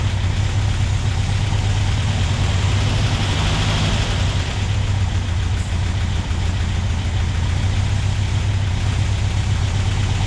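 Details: Freshly rebuilt and installed Porsche 356SC air-cooled engine, about 90 hp, first start after charging the battery: steady low even idle with a smooth beat and no knocks or misses; runs cleanly, though fuel lines leak slightly on both sides.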